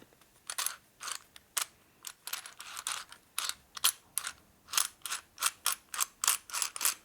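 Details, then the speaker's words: 1961 Harley-Davidson XLCH Sportster oil pump during engine rebuild, turned by hand after the gears seated: light ratcheting clicks in quick uneven bursts, the gears now rotating freely without binding. "all seems to be working right now"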